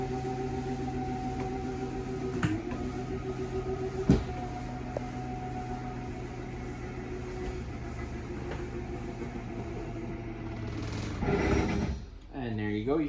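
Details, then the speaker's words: 2024 Chaparral 254RLS trailer slide-out: steady motor hum as the room extends, then sharp clicks as the motor clutch slips at full extension, which is normal and the cue to release the switch. "the clicking and that's when you know to stop"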